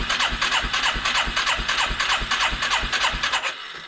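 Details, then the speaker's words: 1989 Yamaha Moto4 350 single-cylinder ATV with a new carburetor, compression test: quick, even cranking with little resistance and no firing. The gauge reaches 125 psi only after 7–8 cranks and 75 psi per single pump, indicating low compression. "so seven or eight cranks it shows a psi of 125 that's kind of misleading it tells me you can get up to it which makes me think i should be able to fire maybe but also indicates we've got another issue here"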